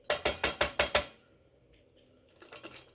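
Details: Suzuki GSX1400 front floating brake disc shaken by hand during a disc change: six quick metallic clinks in about a second as the worn floating buttons rattle with play.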